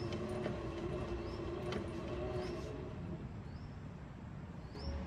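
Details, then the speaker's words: Electric three-wheeler camper, rear wheel lifted, hill-climb gear engaged, phone held close: quiet steady motor whirr and low hum, no knocks, clicks or grinding; rear axle drive motor sounds normal; grinding noise from climbing mountains not reproduced. "感觉也正常，这个声音也挺正常的。老铁们，你们听啊，我把手机放近一点，你们听一下。这不也正常的声音吗？这应该也是正常的声音吧，对吧？"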